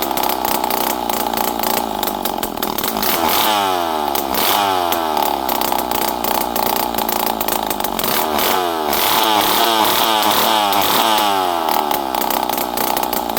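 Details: Poulan 5200 Counter Vibe chainsaw, unrun for 5-6 years, on the bench after carburetor screws were set around half to 1.5 turns. A loud, raspy buzz rises and falls cleanly with the throttle, no bogging or sputter. Normal running.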